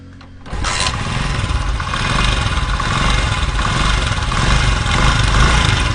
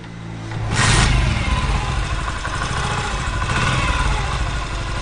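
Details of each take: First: 2023 Honda CG125 motorcycle engine starting and idling with loud, uneven clattering rattle over the exhaust beat, typical of a slack timing chain from a weak tensioner. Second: 2023 Honda CG125 single-cylinder bike after fixing a loud engine noise by re-seating and tightening a nut; blipped then settles to an even run, no chain rattle or clatter, timing chain quiet, normal engine running.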